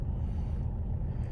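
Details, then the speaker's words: Mercedes W204 diesel with over 200,000 miles, in limp mode; the DPF pressure differential stays at 0.99 and the sensor is suspected: deep, even idle rumble at about seven beats a second with no knocking, a smooth healthy diesel idle. "So the values, you can see that the engine is idling quite nicely."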